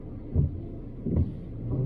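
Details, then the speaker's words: VW Caddy diesel driving after a solid single-mass flywheel and clutch kit conversion: a low, even hum with soft swells on smooth gear changes and no crunch, rattle or pedal vibration, so the drivetrain sounds normal. "gear changes are nice nothing's crunching or vibrating i've got my foot down on the clutch now i feel no vibration through the pedal at all"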